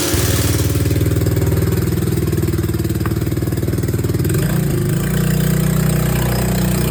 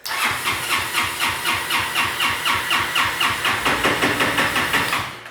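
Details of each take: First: Honda Helix maxi-scooter after rebuild, first start on old fuel: brief starter whirr, then the single catches and settles into a steady, even idle that smooths out after a few seconds; healthy start. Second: Honda Helix scooter crank-no-start: starter cranks steadily about four pulses a second for five seconds without firing, even with a new spark plug; spark present, so suspect the carburettor's electric wax bi-starter (choke).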